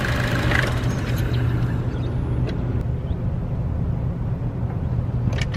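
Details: Chevrolet Cruze, A/C compressor recently replaced: steady deep growl at idle with A/C on, gone when driving off, occasionally faint with A/C off; located under the exhaust manifold, exhaust clamps inspected; source unknown.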